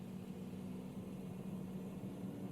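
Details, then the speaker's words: BMW i3 switched on after fitting a new water pump, while diagnosing a drivetrain error; the pump is heard from outside. A quiet, steady low hum at even pitch with no grinding: normal coolant pump start-up. "so you can hear that pump running outside if you remember correctly it's normal for the pump to start up"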